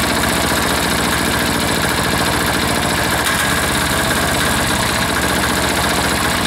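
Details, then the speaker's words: Air-cooled diesel engine, just reassembled, settled at a steady idle after running at full throttle and sounding fuel-starved; even beat with no misses or knocks, and the owner doubts it will idle much lower. Normal idle. "sounds pretty good right there you know that I don't think she'll go a a whole lot lower than that"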